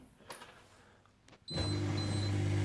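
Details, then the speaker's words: Smeg DI612CA9 integrated dishwasher after clearing E1 Aquastop fault by drying water under the float switch: quiet clicks, then steady low motor hum with faint high whine on quick cycle; normal start. "and there we go my Smeg dishwasher is fixed"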